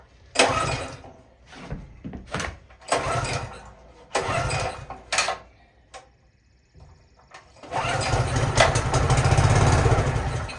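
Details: Pressure washer engine given away as a non-starter, air cleaner off, choke open, starting fluid (carb cleaner) sprayed into carburetor: sputters and fires in short bursts, then catches and runs steadily; spark and compression fine, fuel system/carburetor suspected.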